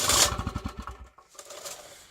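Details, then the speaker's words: Champion generator that died after spewing heavy white smoke, rebuilt after being stuck: rope pull spins freely with fast, light, fading puffs and no compression resistance; no compression from catastrophic valve failure. "this thing was stuck so I had to rebuild this in order to find out this thing is dead so listen to this okay to me that sounds like death"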